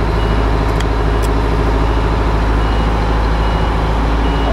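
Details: M1070 8x8 HET army truck diesel at first startup in years, in cab: short high beep repeating at uneven gaps over a loud, deep diesel rumble; cab warning alarm, possibly chemical alarm, cause unconfirmed.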